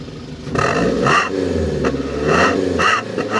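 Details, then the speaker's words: 2012 Daihatsu Gran Max blind van on a cool damp morning, revved: sharp throttle blips over a raspy, loud exhaust; exhaust modified, central catalytic converter apparently removed and a lower muffler section fitted; throttle response feels spontaneous. "oke memang knalpotnya sudah dimodifikasi jadi ngegas mobil ini lebih senang lebih suka"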